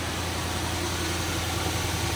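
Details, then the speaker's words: Auction-bought L322 Range Rover with 114,000 miles, idling after its first start at the shop: a smooth, even idle with a steady low hum and no ticks, knocks or stumbles, engine sounds good. "engine sounds good"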